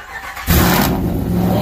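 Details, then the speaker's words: Ram, cold start on a snowy day before the long-block build: a short crank, then the V8 catches at once and settles into a strong, even rumble; the cold start sounds clean and good. "Oh, she sounds good. Clean and good, man."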